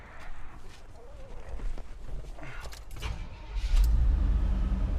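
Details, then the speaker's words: 1987 Chevy square-body short-bed 4X4 pickup with fuel injection, collector-auction vehicle: brief crank, fires right up and settles into a steady, even low rumble at idle; a healthy start. "Fires right up with that fuel injection. Nice little truck. Sounds good."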